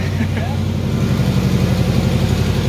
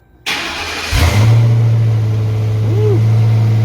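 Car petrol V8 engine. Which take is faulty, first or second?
first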